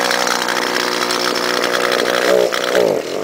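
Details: Two-stroke gas trimmer unused for a month and a half, started after heavy cranking: raspy, uneven running that sags and nearly dies around three seconds in, then picks back up; it won't hold a steady idle. The carburetor seems clean; the owner suspects a muffler issue.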